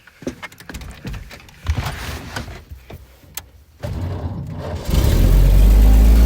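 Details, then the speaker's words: 1929 Buick Standard Six after clogged muffler removed and refitted, previously backfiring and sluggish: engine catches cleanly and settles into a deep, even rumble with no puffing or ticking; normal start, carburetor still needs adjusting. "Sounds much better. Now, I got to adjust the carburetor."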